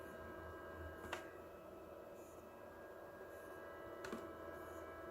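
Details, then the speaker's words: Hippo Tool ZD-8915 150 W desoldering gun (Pro'sKit SS-331H), new, heating toward 160: faint steady fixed-pitch electrical buzz from the gun, constant from switch-on, in a quiet room; owner says that's not good. "oh that's interesting the buzzing is actually coming from the gun either so that was a constant sound when we first turned it on"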